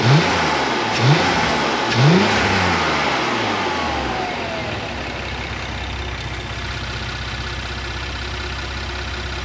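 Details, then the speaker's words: Porsche Macan after replacing PCV valves that caused a tea-kettle whistle, idled 4–5 minutes then revved: three quick throttle blips rise and settle cleanly to steady idle with no whistle or hiss; fixed, healthy. "All right, seems like it worked, guys. So the expensive tea kettle is gone, and I'm super happy for that."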